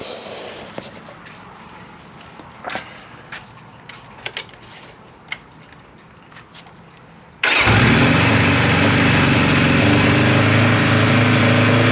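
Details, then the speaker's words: 1974 Kawasaki Z1, first start in years after revival work, fed from a small temporary fuel bladder: catches first try and settles into an even, steady idle with no misses or knocks; normal start and idle. "Started first try, YouTube. Alright, YouTube, I don't know if you can hear me or not, but we're going to let it run through a quick heat cycle while we got good weather, and I'll get right back to you."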